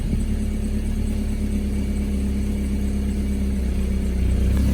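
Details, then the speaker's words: BMW 318i with a welded differential, just jump-started: steady idle with a faint irregular lope and uneven pulses; the owner suspects a misfire, possibly just from needing an oil change, unconfirmed. "if you listen, it still kind of sounds like it has a misfire. But then again, that might just be because I need an oil change or something."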